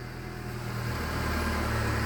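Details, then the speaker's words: Mercedes A-Class W168 (A140) wiper linkage running with the wiper arms removed, after lubricating the squeaking internal mechanism: steady low motor hum with no squeak on any stroke. Lubrication cured the squeak. "получается скрипа нету посмотрим либо это помогло то что я смазал либо скрип идёт с другого места"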